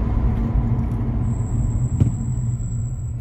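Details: Ferodo DS2500 brake pads, new and being bedded in: thin high squeal rising over road rumble for a couple of seconds while braking from moderate speed, louder under harder braking.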